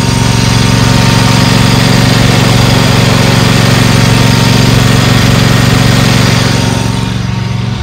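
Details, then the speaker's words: Used Dixie Chopper XG2503 mower, Generac gas engine, revved: loud, even low drone with steady pulse about four per second, tapering off at end; engine runs smooth and healthy. "this thing appears to be a good working order motor sounds good revs up nice all the handles work"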